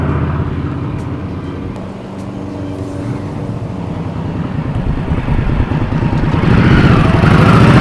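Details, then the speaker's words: 2020 Indian Scout Bobber V-twin on freshly installed Vance & Hines 3-inch Slash Cut slip-on exhaust replacing stock: deep loud thump dips then climbs steadily with revs, firing evenly without misses; normal running. "actually the sounds growing on me it's it's loud but it's a good kind of loud so I highly recommend these"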